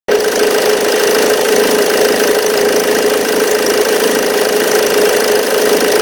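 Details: 2005 Ford Mondeo Mk3 2.0 TDCi 130 hp (96 kW) diesel at idle: constant metallic rattle and buzzing drone with vibration at the belt end, from a worn auxiliary belt tensioner.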